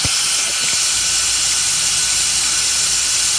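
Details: Hot no-start diagnosis on a 2004 truck. Cylinder leak-down test with the engine off and the mic lowered near the injector. Steady sharp hiss as compressed air leaks past the injector seal, likely at cylinder number five.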